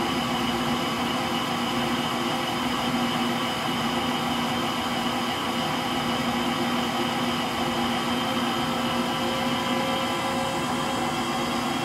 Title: Frigidaire Gallery Front Load Washer model GLTF1670AS1 Final Spin (Bad Motor Bearings) Video 2